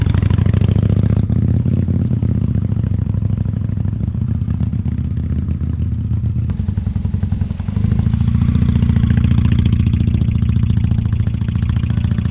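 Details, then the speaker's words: 1998 Honda Shadow 750 ACE, neglected and rusty after sitting over 5 years, running after carburetor cleaning: loud, deep exhaust drone, louder than owner remembers, lumpy uneven pulse sagging and picking up; hesitant, possibly fuel-related. "it's loud louder than I remember honestly it's kind of too loud"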